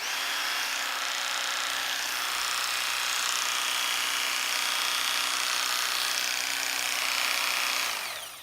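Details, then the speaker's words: Dog grooming clippers plugged in and running: steady high buzzing hum with a faint low tone, even until switched off; really good compared with other clippers, motor running smoothly. "it's really not allowed it's all compared to some of the other Clippers I've used these are really really good"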